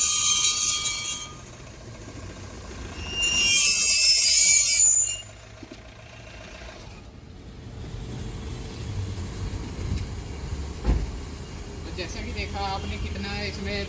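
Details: 2020 Jeep Compass Limited Plus diesel 4x4 automatic, driving after applying the electronic parking brake: a harsh metallic scrape from the rear wheel brake. The workshop found a stone stuck between the disc and anchor plate.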